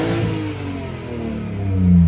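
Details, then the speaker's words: 2024 BMW M4 Competition twin-turbo inline-six, rebuilt after being destroyed, with small pod air filters fitted: deep six-cylinder note climbs and settles cleanly, slightly raspy exhaust, responsive, no knocks or misses; normal engine rev. "It definitely does sound a little bit raspy, but you can't really make these twin turbo inline sixes sound any better than this. But really nice and responsive."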